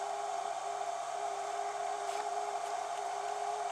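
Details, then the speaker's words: Harbor Freight Viking lithium-ion jump starter/power pack running a 110 V fan on low through its inverter: steady low hum with thin whir and hiss, fan turning weakly; the inverter's cooling fan works hard too. "I have fan. It's not real strong, I can tell you that much, but that fan is in fact turning."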